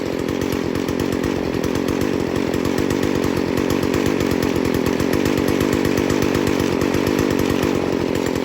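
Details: Stihl FS 40C trimmer after low-speed screw tuned back an eighth turn at a time from rich bogging: fast, even two-stroke idle holding steady speed, set right and running clean.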